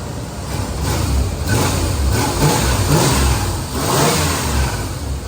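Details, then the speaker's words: 1991 Chevy Caprice station wagon after a new fuel pump, new plugs and wires, and correction of plug wires likely mixed up by the previous owner: starts right up, and the V8 revs cleanly through blips with no misfire, knock or stumble; smoke follows. Normal revving. "we're going to just start her up look at at that starts right up he's going to rev it up"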